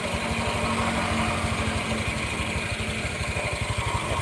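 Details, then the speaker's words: Honda Vario CVT with the engine idling and the rear wheel held still: a rapid, regular rough rattling grind from the belt drive area. The noise disappears when the wheel is allowed to spin. "kalau rodanya ditahan suaranya krosok rongsok rongsok rongsok rongsok tapi kalau rodanya ikut muter suaranya hilang"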